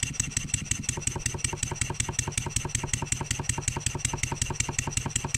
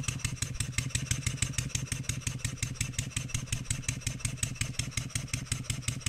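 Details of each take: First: Stuart 7A steam engine after valve eccentric timing adjustment chuffs fast and evenly, but a sharp metallic knock comes with each beat when load is applied to the output shaft; cause unknown, disassembly planned. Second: Stuart 7A steam engine run on air after adjusting the valve eccentric timing: quick, steady, evenly spaced chuffs, running much smoother and more evenly; it still knocks under an applied load.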